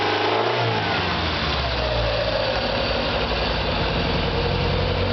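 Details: Warm engine at about 2-3k rpm under a loud, raspy exhaust: faint rapid knock buried in the roar, quieter above that range; owner wonders if piston slap or rod knock, unconfirmed.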